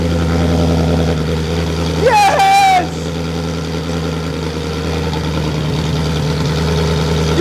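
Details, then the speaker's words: Ferrari engine in an Alfa 105 (Alfarrari), first ever start: engine barks to life and settles into a loud, steady open-exhaust idle, even and smooth, no knocks or misses; healthy. "running engine yes all right oh that sounds good oh that sounds good"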